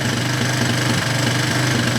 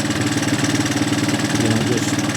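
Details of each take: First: Single-cylinder with a melted spark plug wire, after nearly dying and left running to dry out: idles with a lumpy, uneven beat that is settling and smoothing out; still rough, likely wet or fouled. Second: Looks a lot better, though. She's smoothing out nice. Yep. She's uh she's waking up good.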